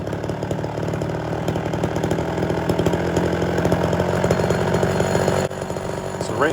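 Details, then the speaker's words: Homelite Super XL chainsaw with rebuilt Tillotson carburetor and swapped cylinder, during tuning with a snappy trigger. Hard full-throttle buzz with wet burbling roughness, then settles: gurgles at full throttle and the idle changes after a second or two. "it's running pretty good good snappy trigger and I got a little bit of a gurgling sound going on whenever I go full throttle did you notice the idle change after a second or two"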